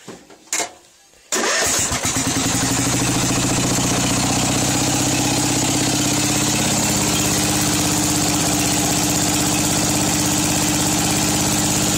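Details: Craftsman 13.5 hp engine that was found with no oil and was smoking, after turning the idle up and the fuel up a little as a possible cause: starts first try into a fast putter with a slightly uneven beat. Rough running, cause unconfirmed.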